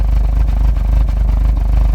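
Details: Engine idling rough after full service (oil, filter, DSG oil and filter, water pump, pulleys, auxiliary belt): low rumble stumbling irregularly, likely misfire; codes P000A, then P0341, now P3008 after camshaft sensor replacement.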